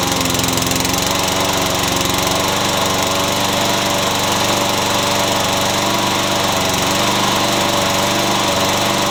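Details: Yard Machines lawn mower after carburetor and fuel check, won't-start fixed: constant high buzz at steady speed with no surging or sputtering; running cleanly.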